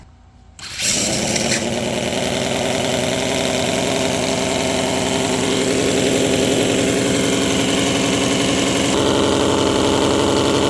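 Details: 50 cc gasoline mini V12, overhead cams, coil packs, on a homemade dyno with MS3 Pro replacing the stock ignition module: catches within a second and settles into a smooth, even idle with steady revs, no misses or knocks; healthy.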